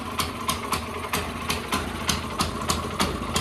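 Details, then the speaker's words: Honda CT200U minibike just after a Stage 1 kit install, on the stand: small single idling unevenly with sharp irregular pops about twice a second and heavy smoke; possibly backfiring/misfiring, cause unconfirmed; sounds significantly better after a retry. "Oh, look at that. Oh, that didn't used to do that. That probably isn't running exactly right."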